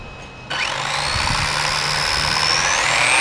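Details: RC car on a power dyno, bearing test around 200 watts: electric motor winds up to a high rising whine with rough buzzing rattle under load, from the driveshaft bouncing on a displaced bearing carrier.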